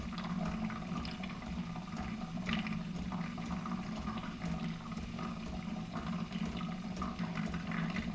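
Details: New Keurig Rivo R500 latte system, first-use priming of the frothing pitcher via latte froth button: steady low pump hum under gurgling and splashing water throughout; frother primes and finishes normally.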